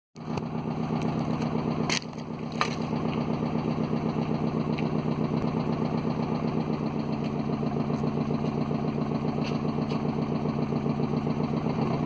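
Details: Hyundai Coupe 2.0 right after start-up: a hard, deep knock repeats about four times a second in step with the idle. Engine failure from rod knock, likely with other issues.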